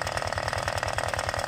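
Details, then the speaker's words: Honda Vario 125/150 scooter: radiator coolant sprays out as soon as it is revved; small single running fast with light irregular patter; suspected compression leak into coolant from a failed head gasket or porous block/head. "Tuh saat digas dia langsung nyembur ya. Nah, kalau sudah seperti ini biasanya permasalahan bukan hanya di bagian"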